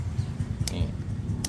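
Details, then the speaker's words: Ford Ranger with 1JZ-GTE swap, automatic gearbox with no kickdown: shift solenoids removed and bench-tested; this one gives two crisp clicks about three quarters of a second apart over a low hum. Working solenoid, unlike the silent failed rear one. "ตัวนี้เสียงดีมากเลยตัวนี้ใสมาก"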